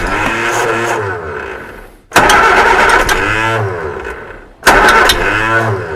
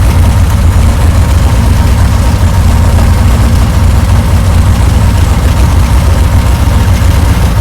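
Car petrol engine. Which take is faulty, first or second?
first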